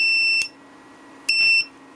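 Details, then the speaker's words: UKC 2500 inverter after reverse-polarity connection, powered from bench supply: two sharp high beeps about a second apart at start-up; no short found, cause of beeping unclear. "Так, вмикаємо. Так, запуск є, але чомусь пищить."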